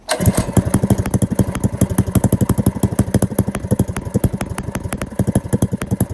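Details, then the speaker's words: Small single-cylinder go-kart engine after carburetor rejet with stage one kit, wrong gasket replaced: quick even firing pulses about eight a second, no misses or stumbles; idles and runs cleanly. "I think when I rejetted it I put the wrong gasket on so yep it idles and runs now"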